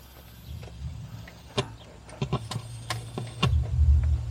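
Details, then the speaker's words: Campervan audio system after an electrical failure: only the subwoofer works, and wiggling the speaker cable gives irregular sharp pops and crackles over a low bass hum instead of sound; owner suspected the cable connection. "See, that's what made me think it was the cable. You can hear all that crackling, but I'm not getting the sound. I'm just getting crackling."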